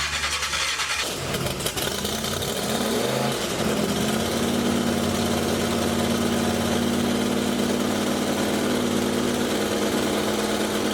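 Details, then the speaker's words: 1930 Model A hot rod with big-block Chevy V8 fires up, blips, then settles into a loping, slightly uneven idle with a deep burble; rough idle, owner suspects ignition timing, not yet set. "sounds good yeah it's for sure timing but um i don't want to run it too hot"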